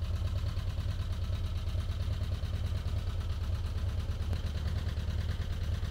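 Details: 1985 VW T25 camper, carburetted, idling too high with choke on: light quick tapping over low engine thrum; owner thinks loose valve adjustment screws on one side cause the tapping, replacements ordered.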